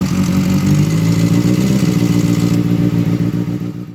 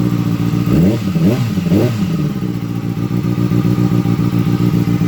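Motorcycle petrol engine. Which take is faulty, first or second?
first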